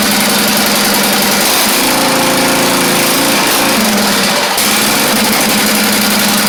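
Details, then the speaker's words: Craftsman YT4000 riding mower engine, first run after unblocking the fuel line, fuel freshness doubted, muffler in poor shape: loud, slightly unsteady running with wavering note midway; runs though the carburettor is not really good, rough running. "All right. So, we got the idea that this thing does run even though that carve is not really good at all."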